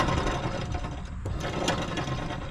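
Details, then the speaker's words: John Deere L120 mower deck spindle spun by hand with belt off gives rough gritty grinding from worn spindle bearings, unlike the smooth silent newly replaced spindle; deck had grown louder when blades engaged. "that's it i'm going to repeat on this one this one sounds like crap"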